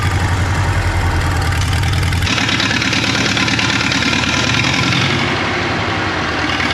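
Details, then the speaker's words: 1939 Caterpillar D4 (RD4 4G9986) diesel, first start after rebuild, pony-motor started, near a mile altitude: chugging idle with uneven, stumbling beat, a cylinder dropping out now and then; engine misses, fuel leaks still to fix. "it moved it runs it moves it's got a Miss in the engine I I know we got some work to do we have some fuel leaks to iron out"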